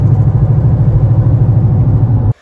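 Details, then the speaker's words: 2014 Nissan Rogue Select moving: deep throbbing low rumble pulsing steadily, vibration from a bad wheel bearing, to be replaced. "in our case we've got a bad wheel bearing you can hear it vibrate"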